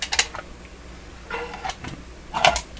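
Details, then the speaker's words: Telefunken record changer in good operating order before basic maintenance: a few light clicks and taps as the outer feeler senses a large record and it drops onto the size toggle; normal record-size sensing cycle. "so there's another feeler out here i didn't tell the story properly so this one is feeling the large record the large record comes down hits this toggle"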